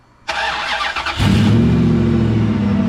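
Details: 2003 Dodge Ram 1500 Hemi V8 with 420,069 miles, started after replacing a part to fix a small evap leak (P0456). Short crank, then it catches quickly and settles into a smooth, even idle. Normal start.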